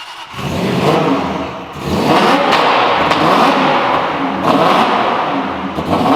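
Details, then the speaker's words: Supercharged Aston Martin V8 Vantage, first start after a top-end rebuild and timing job: fires and revs, but speed sags and surges every second or two and it won't stay running; MAF fault suspected, no bad mechanical noises. "Chris thinks maybe it's a MAF issue, but the good news is no bad noises, sounds great, fires up. We just got to figure out why it's not staying running."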